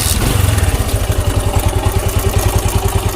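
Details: Bajaj Discover 135 single-cylinder motorcycle at idle with a loose, fast clatter riding on each firing pulse, about three per second: worn timing chain and valve tappet noise, fixed by timing chain and valve replacement and tappet adjustment.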